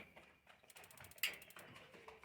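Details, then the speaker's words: Instant gas geyser being repaired, igniter tested by tilting the unit so the ball inside closes the magnet switch; quiet rapid dry tick-tick bursts with one sharper snap, stopping when set upright; normal igniter ticking, ignition circuit working; fault was a bad cell holder. "जैसे ही वो उल्टा कर रहे हैं आपको टिक टिक की आवाज अंदर सुनाई दे रही होगी जैसे सीधा करेंगे यह बंद हो जाएगा"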